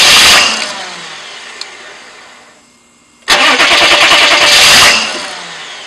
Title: no start outside